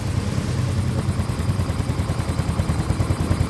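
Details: Soul GT 125 motorcycle after engine rebuild for rattling noise (piston damaged again): soft even low putter at steady idle, about three pulses a second, no ticking or knocking; oil confirmed flowing to cylinder head, engine smooth.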